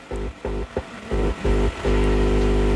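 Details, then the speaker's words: Wisdom active subwoofer (12-inch) repaired for no sound, 5A 45CT transformer: test with a speaker load on the driver board output and the input touched through a capacitor; deep hum bursts, then steady through the speaker; output stage working. "tes menggunakan beban speaker di output mesin drivernya dan di sentuh lagi untuk bagian inputnya menggunakan kapasitor dan output speakernya terdengar ya di speakernya"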